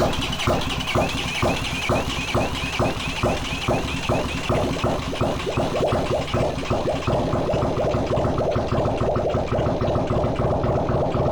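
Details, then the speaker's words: Honda CX500 engine on a bench with no exhaust or cooling, after swapping the crossed coil leads: catches and settles into an even, steady beat at about two pulses a second with no misfire gaps; starts and runs normally. "Good man. So that was a ticket switching around the coils and uh now she starts up like a dream."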